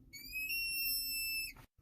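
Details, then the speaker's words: Ford F550 vacuum-boosted brakes: pressing pedal hard gives slight hiss then shrill steady whistle/squeal lasting about a second under dash; brake booster vacuum leak. "this has what's known as vacuum boost brake assist and when you push in the pedal it pushes in that plunger but if we have a leak hear that slight hissing sound and i push really hard let's see if i can do it there we go we start leaking vacuum and it causes that sque"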